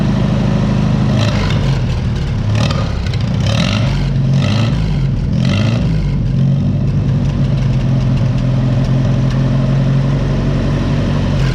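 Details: 1955 Oliver OC3 Cletrac crawler, sitting 20+ years, with a Farmall M distributor, new coil and float, and timing advanced, started at about 20°F; it settles into a steady, even, low idle with a deep regular beat and no misses.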